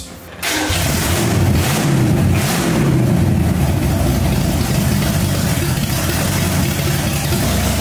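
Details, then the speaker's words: 1965 Mustang with supercharged, aluminum-headed 289 V8 and big cam, restarted after cooling off: a deep, lumpy V8 starts right away and settles into a strong, even idle with a slight rev. It sounds healthy, better than ever before, ahead of a thermostat removal. "This thing has never sounded half that good before. Ever."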